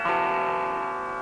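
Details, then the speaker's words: Mesa Subway Rocket amp after about 10 minutes powered on: strummed chord comes out thin, distorted and low-level with almost no bottom end; volume drop-out suspected to be an intermittent effects return jack. "well Eureka 10 minutes later I come back and and thin distorted lowlevel signal compared to how it"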